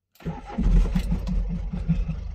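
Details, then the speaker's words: Renault Kangoo D55 1.9 diesel, first start after an injector-freeing fuel treatment: cranks and catches with slightly uneven beats, about three a second, stumbling a little before settling, no exhaust smoke; mild misfire from fouled injectors. "ça cafouille un peu mais comme vous pouvez voir l'échappement bah il y a pas de fumée alors sac à fouille vraiment léger"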